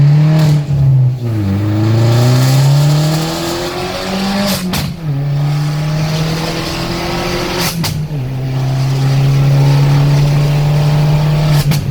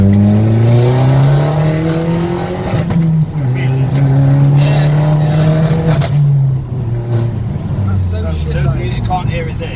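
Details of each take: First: Vauxhall VXR after swapping the coil pack and addressing the MAF sensor, hard pulls with traction control off: engine note climbs cleanly through each gear, dropping at shifts, no hesitation or flat spot; normal turbo boost under acceleration. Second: Vauxhall VXR driving, stuttering under high boost pressure: engine note rises under load then breaks up and drops out in uneven stumbles; boost stutter.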